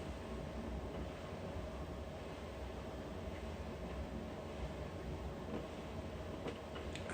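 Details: LG FDV909W 9 kg heat-pump tumble dryer on Speed 30 program with a small load (towel, trousers, two T-shirts) in cool-down: a steady low rumble while the drum rotates, no clear knocks. The rotation noise is unfixed and of unknown cause; the self-clean symbol never lights.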